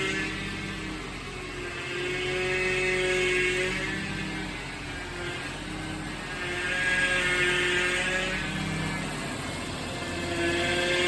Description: Whining noise while turning the steering wheel. The steering fluid was leaking and it stopped once I added more steering fluid.